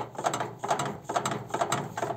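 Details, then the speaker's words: Arçelik washing machine, drum rocked by hand: dry clicking bursts about twice a second as the drum swings loosely; the shock absorbers are worn and slide freely. "bu amortisörler böyle langır langır olmaz arkadaşlar yani bu bittiği zaman amortisörün işi bittiği zaman böyle olur"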